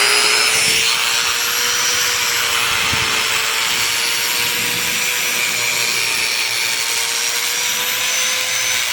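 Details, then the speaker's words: Black & Decker G720 angle grinder after replacing the armature's lower bearing (had run hoarse and smoked): smooth, steady high whine with no rough growl; running normally. "bem viu funcionou direitinho sem barulho"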